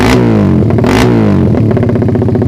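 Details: Suzuki Satria FU single after ignition timing was advanced slightly via the pulser, quick blips: eager through low revs but flattens near the top. Owner suspects ignition or a carb running too rich up top.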